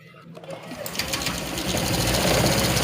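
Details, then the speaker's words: 2018 Honda Vario 125 scooter after valve clearance adjustment with head cover still off: engine starts and settles into an even idle, earlier rough ticking gone; normal. "sudah halus ya teman-teman Ya kemungkinan ini hanya cuman setelan klepnya aja yang bermasalah ya motor sudah halus teman-teman ya motor sudah nggak gelitik lagi"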